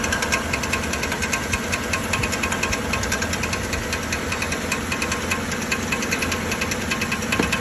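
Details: 2013 Chevrolet Silverado 1500 5.3L: steady metallic ticking knock, about two to three per second, over the idle, first suspected as flywheel or internal engine trouble; actually the starter drive gear staying engaged with the flexplate.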